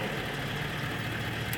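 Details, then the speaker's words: Early 1999 Ford Super Duty 7.3L Powerstroke diesel with TS 6-position chip being installed, at high idle: even, steady diesel clatter with no misses or knocks; sounds healthy. "so let's go all the way to stalk say full left just stop first ones high idle so go back to stock"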